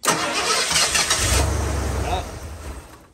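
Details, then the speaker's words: Warm engine fitted with a weak ignition coil: it kicks with a brief burst, stumbles, then fades and dies within seconds, whereas with a good coil it starts instantly; the weak coil makes it hard to start. "ah yeah see that it's it's it's try you could hear it kick but um we'll do that again and you hear it kick you know it's trying"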